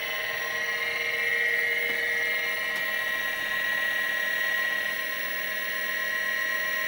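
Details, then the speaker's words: Vintage 5.25" Seagate ST-225 MFM hard drive on an XT clone with floppy and hard drive controllers, run before a board swap. A steady, even high-pitched whine with faint ticks and no grinding. This is a normal spin-up. "so the drive just initialized it spins up and makes some noise that's perfectly normal"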